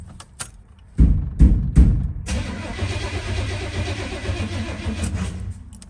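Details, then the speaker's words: 1989 Chevy Suburban from a junkyard, first start attempt. Starter spins the engine with even chugging for about three seconds and no fuel pump is heard; it never catches. Owner suspects no fuel because the horn fuse is missing: cranks but no start. "all righty it cranks but I do not hear the fuel pump kicking"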